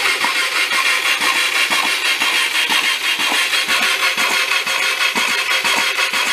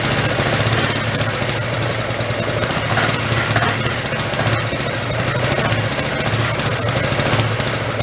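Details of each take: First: Hyosung Aquila GV250, bought new, hard starting then died while riding and sat 9 years; cranking with spark plugs out and clutch in: the starter churns in even beats, about two a second, with a wet hissing gurgle as the oil-filled cylinders spit oil. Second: Hyosung Aquila GV250, sat 9 years, running while oil is pushed out of the cylinders: an even, steady thrum held for ten seconds with no misfires or dropouts, and quiet. The suspected bad heads or valves seem fine. Normal running.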